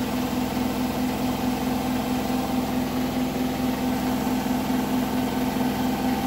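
Steady high spin hum with a regular light knock, about two per second, riding over it; something knocking at full spin speed.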